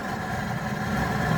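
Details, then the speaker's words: Goodman package unit furnace after inducer fan motor replacement (had two-blink pressure-switch-open fault), started up: smooth, steady hum with no rattle, scrape or wobble; new inducer fan running evenly and healthy. "But because the inducer fan motor is it's the first step in the furnace sequence, we wouldn't know, right? So we'll go ahead and run it."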